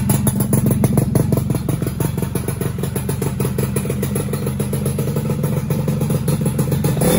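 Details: Rebuilt two-stroke motorcycle started for the first time with the old small CDI fitted: an uneven popping idle that stumbles and hunts. Main and pilot jets are suspected too small.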